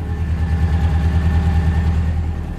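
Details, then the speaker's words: Toyota Town Ace van idling just after a jump start of its flat 540-cranking-amp battery from a small 18V Samsung 18650 M pack: a steady, even low rumble with a faint constant whine as the alternator works hard recharging. "hear the alternator working hard."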